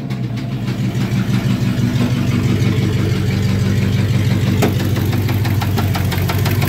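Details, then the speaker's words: Truck engine warmed up and held at high revs in a garage brake stand: loud, with a rough knock about three a second that gets worse. Torque converter bolts were checked tight. "oh it's even worse now"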